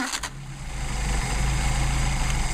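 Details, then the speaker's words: Mercedes-Benz 190SL with rebuilt, freshly adjusted Solex carburetors, warm restart after shutdown. Fires at once and settles into smooth even idle with steady low beat, no misses; normal warm start and idle. "I tell you what, I'd put these on my car anytime."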